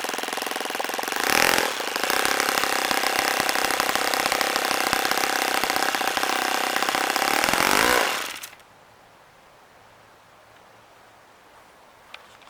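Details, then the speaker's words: OS FS-26 Surpass four-stroke model engine on 10% fuel with an APC 9x6 prop, after tuning: steady buzz with a slightly uneven popping, bubbly beat, then a clean cutoff; the idle sounds well set. "I like to hear that little popping bubbling sound on these four-stroke engines to tell me when the idle sounds about right because it should be kind of bubbly like that"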